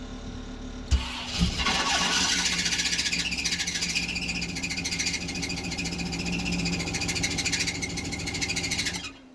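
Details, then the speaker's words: GM V8 that had seized from oil loss at a loose oil cooler quick-connect, restarted with new plugs and transmission fluid in the cylinders: it catches and runs rough and uneven, smoky, because the cylinder 6 and 8 plug wires were swapped and cross-firing. "All right, I had 6 and 8 crossed. It was cross firing. I had 6 and 8 crossed on the plugs."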